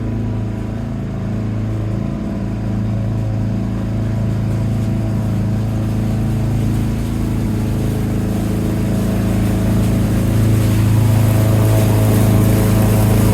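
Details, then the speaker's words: 1987 Lawn-Boy 8073B two-stroke mower, first run after sitting almost a year, new greased capstan rollers fitted: steady even drone holding speed, slight rise under load, no surging or missing; hard starting but runs fine. "It's hard starting, but seems to run fine."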